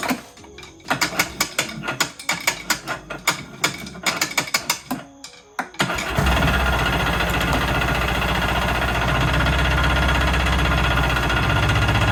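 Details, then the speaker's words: Kawasaki JS440 two-stroke jet ski, starter previously clicking and found wet: choppy, uneven cranking at about 150 beats a minute for six seconds before the engine catches. The starter is suspected to be worn, not confirmed. "Yep, sounds like the starter is not the best either."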